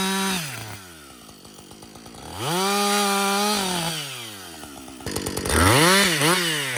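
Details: Husqvarna 562XP 60cc chainsaw after dealer software reflash for dying when hot, bucking windfall; crisp rise to full revs, steady high note holding under the cut, drops back cleanly. Normal running under load.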